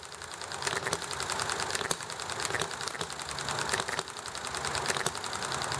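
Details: Enjomor model engine running nicely: sharp regular firing pops with coasting gaps between them over steady background clatter, with highway noise, alley traffic and neighbor chatter; normal running.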